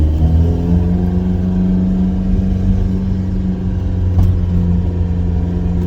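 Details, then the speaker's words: 1986 Ford Cortina P100 pickup, 1.6 Pinto engine, driving under load at the start of a 250-mile trip home, exhaust dragging for lack of ground clearance: deep heavy drone and steady low boom, no clear knock; simply loud. "noisy bugger ain't it"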